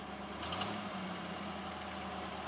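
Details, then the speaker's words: Hot-rodded V8 Jeep J7 rock crawler at normal operating temperature: quiet, smooth, even idle burble running on all eight with no misses; sounds like a stock motor, and the carburetor secondaries need tightening. "definitely running on all eight holy crap does a gas cage work no gas cage can't work i i can't be that lucky i won't be that lucky it's up to normal operating temperature"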